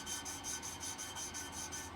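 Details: Vintage tractor valve being hand-lapped with paste: about ten quick gritty back-and-forth rasps, roughly five a second, as the paste is still cutting; the valve is not yet seated and will go quiet once seated.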